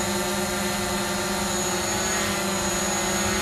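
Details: DJI Mavic Pro hovering on stock propellers, motor rpm around 5,550–5,570 at takeoff and hover; steady even multi-tone prop buzz holding pitch without wobble or rattle, healthy hover.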